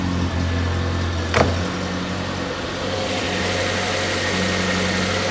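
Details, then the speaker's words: Stored project car, needing a cam belt, brake work and electrical work, fired up after storage: it settles into a smooth, even idle with a steady low hum and no knocks, misses or hunting. Normal idle. "and it sounds pretty sweet and I'm pretty sure this is going to be a blast to drive"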